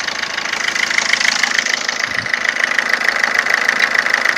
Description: Abnormal engine noise of my Ford Fiesta 2007, 1.4 / 69hp TDCI version